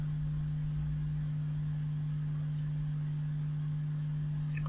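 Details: Vintage 1970s Marshall 6400 mixer amplifier bought at a car boot sale, under repair: a constant low hum at one steady pitch with nothing over it.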